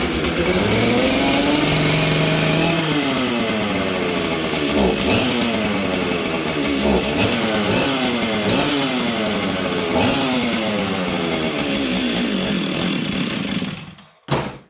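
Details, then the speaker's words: Stihl 044 Arctic chainsaw, cold in cold shop, choke needed: revs surge and sag every couple of seconds, never settle, then cut out and die — erratic running and stalling, ignition coil suspected, not confirmed. "okay friends so you guys can hear this thing's not running very good"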